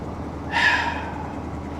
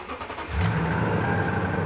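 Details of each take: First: Salvage-auction vehicle after start on booster pack: quiet at idle, then rough knocking surge when throttle is blipped; lower-end knock showing under revs. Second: Well-kept Toyota Tundra V8 with 242,000 miles at salvage auction: starts promptly, smooth even run with steady tone and clean pickup, has power, no knocks; normal revving.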